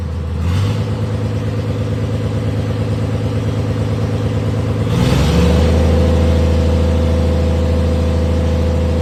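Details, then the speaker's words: 1996 Dodge 2500 diesel with no turbo fitted after turbo failure: rough, uneven idle knock, then revs climb and hold; overfuelling and running rich with not enough air for the fuel. "it doesn't have enough air for how much fuel's going in it"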